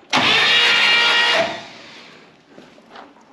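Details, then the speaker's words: 1964 Buick Electra 225 engine from a fire-damaged car, cranked on the starter without spark plugs, full tank of gas, fuel pump pumping; strong even whir about one second, no grinding or clicking, starter working properly. "and it's pumping gas starter sounds great I don't want to wear it out"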